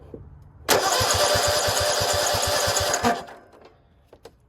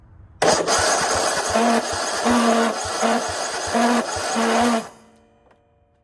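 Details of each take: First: Cub Cadet RZT50 zero-turn mower engine cranking steadily about two seconds with even regular compression pulses; some compression confirmed, new carburetor ordered. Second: Cub Cadet RZT50 zero-turn mower found parked and said to need a fuel pump, battery freshly charged, fuel pump being tested: about four seconds of uneven chugging cranking without catching; the pump works but the engine sounds unhealthy, cause not pinned down.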